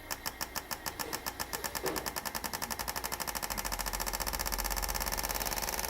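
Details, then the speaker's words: Injectors from a 2009 Toyota Corolla 1.8 on a flow bench after cleaning: crisp, even clicking with a buzz, speeding up from about four to a dozen per second; flow equalized at 83-84, injectors working perfectly. "Mas ali já dá pra ver, pessoal, que tá, ó, equalizadinho, tá? Tudo com 83 a 84, perfeitos os injetores."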